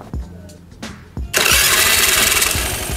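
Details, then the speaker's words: Carbureted Honda Vario scooter, newly fitted H4R racing starter motor, mic near the carburetor: short, even, smooth starter whir and it fires almost at once into a crisp run; starter healthy. "nah halus kan suaranya ya Mantap ini tuh enak ya"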